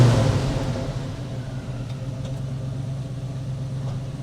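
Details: 1963 Chevy pickup V8 with a new carburetor, radiator, hoses and water pump, belts still slightly loose and squeaking; steady fast idle that never drops to a normal low idle, with the carburetor cause not yet found.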